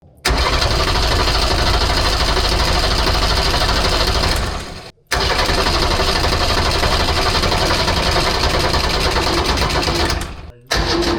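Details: Unimog 404 with a rebuilt OM617.912 diesel and rebuilt fuel pump, first start attempt after a long lay-up on weak batteries; slow, uneven cranking about three turns a second, twice with a pause, nearly catches but never fires.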